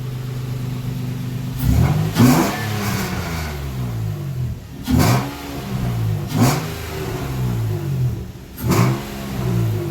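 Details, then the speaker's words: VQ-engined Nissan Sentra, first start in 8 months, no radiator fitted yet, warmed up. Four clean revs give a deep, even exhaust note with no rattles, likened to a 350Z or Maxima: normal exhaust note. "let me get you guys some exhaust notes but this car sounds really good sounds like 350z maybe a Maxima well you let me know what it sounds like"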